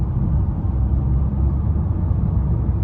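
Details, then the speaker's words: 2014 Chevrolet Impala at highway speed after new tires were fitted; the earlier noise was heard at about 70 mph: steady low road rumble with no droning hum or whir, and the car is much quieter. "Yo, that just makes me feel so much better. The car is so much more quiet now, and everything makes me want to go ahead and get that other tire for it, and then I'll be good."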